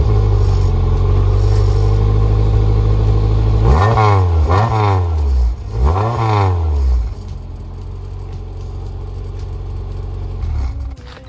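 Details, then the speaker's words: Honda Civic (EG GSR) with a freshly rebuilt engine and a newly welded full exhaust. A quiet, deep, steady idle with a few clean blips that rise and settle smoothly before shutoff. It sounds very stock, and the owner suspects the exhaust is the wrong, possibly restrictive, one. "stock as hell. I actually think Rock Auto may have gave me the wrong exhaust. It might be restrictive."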